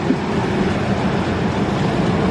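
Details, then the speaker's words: 1998 GMC Sonoma 4.3 Vortec V6, replacement engine for rod knock, after distributor adjustment; smooth steady low idle rumble with no knocking, ticking or smoke; normal idle. "yep no knocking no smoke it's not even smoking or nothing it's not knocking no it's not"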